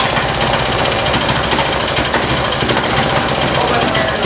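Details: Yanmar L70 6HP clone single-cylinder diesel, new out of the box, first cold start on a recoil pull: dense, even clatter at a quick steady beat, no misses or knocks; runs cleanly.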